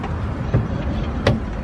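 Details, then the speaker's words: 2JZ-swapped 555hp Nissan 240SX S13 on jack stands: driveline spun by hand in neutral gives two loud, sharp clunks about 0.7 s apart. Blown differential, again; the diff is to be replaced. "so i i believe it is the diff because when i spin i get a loud clunk and it's in neutral"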